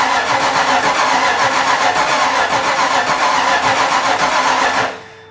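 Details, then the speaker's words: Miata with a 5.0 V8 swap, first start attempt with the fuel pump on: steady starter churning at about four pulses a second that never catches, then stops. Ignition timing is off. "Anyway, I was able to push it all because I kept finding that it didn't sound right when I was trying to turn that starter. It sounded like something was just not firing properly."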